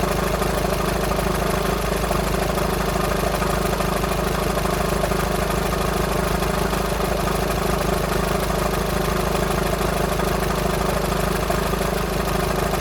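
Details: VW Sharan 2.0 TDI common-rail diesel (CFFB) after a new timing belt: steady idle with a fast light rattle about two a second; owner suspects a bad tensioner pulley rather than the engine.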